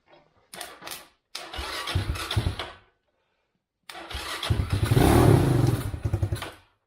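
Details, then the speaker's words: Chinese ATV abandoned about seven years, with a homemade main wiring harness, started without starter fluid: two short cranks, then it fires and runs unevenly, dying when the choke is taken off, but it starts and runs. "I took off the choke and then it dies out, but it runs, which is a huge accomplishment after how long it's been sitting, and that I now made my own harness."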